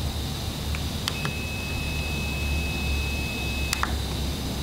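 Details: S3221QS monitor speakers: clicks, then thin steady high whine about two and a half seconds over faint hiss; suspected coil whine, cause not confirmed.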